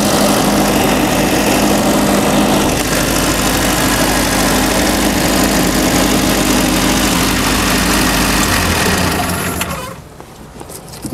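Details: Boat inboard carburetted engine, run with fuel pump on: loud, steady idle, even for ten seconds before cutting off, no misses or surging.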